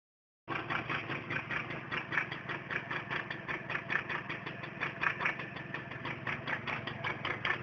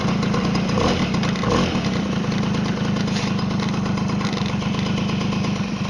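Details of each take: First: Tomos two-stroke moped idling: quick, even metallic ticking about five a second over a thin buzzy exhaust note; clutch rattle noise. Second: Tomos moped two-stroke idling with a fast, even putter and light busy buzz, no loose rattle; normal idle.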